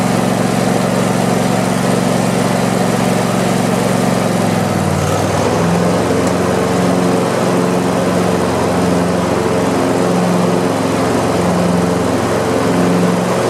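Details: Craftsman YT4000 lawn tractor V-twin, sat in a barn for years: steady drone drops smoothly to a lower even idle after a few seconds, no misses; deck vibrates, blades probably to be sharpened and balanced. Normal start and idle.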